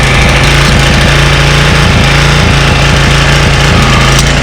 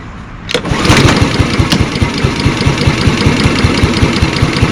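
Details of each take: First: 1985 Honda HR214 mower, unused since 2022, running after start: steady, even drone at constant speed with no misses, knocks or surging; runs perfectly; normal running. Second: Walk-behind lawnmower, 2025 startup: pull-start catches into a quick chug that swells and dips; surging because the broken choke lever leaves the choke loose, vibrating itself back, otherwise runs fine.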